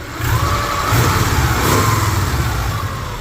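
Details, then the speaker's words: Subaru Impreza bugeye, injectors firing: engine blips up and settles back to a steady, even idle; no knocks, ticks or rattles over the low rumble; sounds healthy. "I hear the injector's firing so that's good obviously they're firing otherwise it wouldn't be running"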